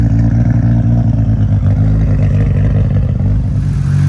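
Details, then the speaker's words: Fully refreshed Nissan Skyline R34 GT-R V-spec twin-turbo engine with big intake, revving after a cold start: deep, smooth, even rise and fall with turbos audible. No ticking, misfire or heavy lump, a healthy engine. "Engine, it's been fully refreshed. There's no weird sounds coming from it, no ticking, no heavy lump."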